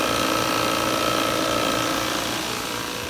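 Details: Refrigerant recovery unit pumping out a Daikin heat recovery unit for an inverter compressor change-out, hoses through manifold on suction line; steady even hum with a faint pulsing beat about three times a second and a thin high tone; normal running.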